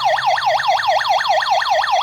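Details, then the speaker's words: Kerui GD13 combustible LPG gas detector under test with gas applied: loud steady warbling siren sweeping up and down about five times a second, alarm sounding until gas disperses. "suaranya cukup besar ya kita lihat dia berhentinya pas"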